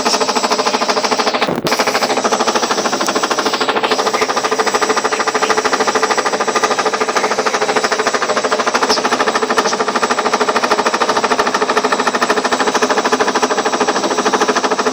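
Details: Ariston washing machine on spin with ordinary laundry: fast, very regular knocking about three per second hammers through the whole spin from inside the drum. The machine stays level and touches nothing outside. Cause unknown.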